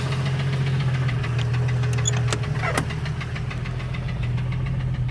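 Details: 1989 Jeep Cherokee XJ 4.6L I6 stroker on aftermarket pistons, knocking after 700 miles: the idling inline-six makes a steady hollow knock about three times a second, diagnosed as piston slap; temperatures had been getting high.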